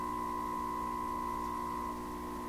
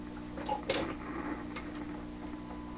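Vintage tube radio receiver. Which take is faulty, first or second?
second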